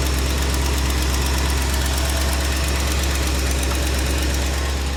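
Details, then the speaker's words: 1967 Mercury Cougar V8 at cold idle, first start in a long while: a light, quick valve-train tick rides over the rumble. The valve is thought to be just out of adjustment and caught early. "Well, I'm gonna be honest. It's already sounding like a slight tick valve train, but George, don't be so negative, buddy. I gotta make sure. It's not a bad one though."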